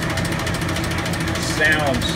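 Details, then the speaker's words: Original Wayne 60 gas pump, sat over 40 years, freed up without disassembly, switched on idling with nozzle in the filler pipe: small electric pump motor hums steadily with even pulsing as fluid flows; running smooth. "I am now going to turn the pump on so it will idle without pumping. Hear the pump running."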